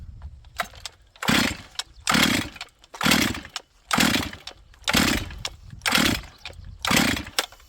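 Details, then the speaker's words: Auction-bought chainsaw on full choke, repeated pull-starts: each pull catches with a brief pop that dies at once, so it fires but won't keep running. Owner suspects flooding. "This thing seems to want to run, but maybe I'll put it back on choke again and see. You guys can hear it firing."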